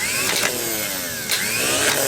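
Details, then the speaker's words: Late-1980s John Deere RX95 riding mower being restored, starter test: the starter engages with a click and the pinion pops up and spins, rising to a clean, even whine; the starter motor turns freely and works normally. "should be able to see the pinion over here if it's going to work it'll pop up here and spin"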